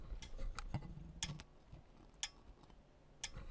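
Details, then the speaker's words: QuantAsylum QA403 audio analyzer measuring a power amplifier with attenuation set too low (12 dB): sharp, dry input relay clicks, scattered then about one per second, as the input is overloaded; going back to 18 dB attenuation fixes it. "you can hear the clicking sound that's the QA 403 it's also showing this is overloaded here and so you can just back it down to 18 and that seems to work rather good"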